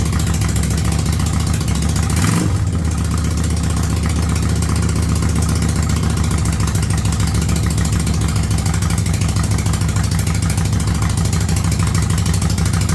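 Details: 1985 Yamaha Virago V-twin with a single-carb conversion, cold, without choke: steady idle at about 1000 rpm with an even low thump and a brief early blip of revs. Smooth, settled running.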